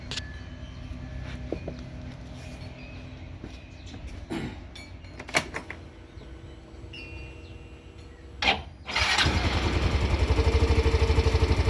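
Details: Yamaha Grand Filano scooter that was hard to start in the morning, after valve adjustment to standard 0.22 exhaust and 0.08 intake: a few clicks, then the engine catches and settles into a steady even idle without tapping.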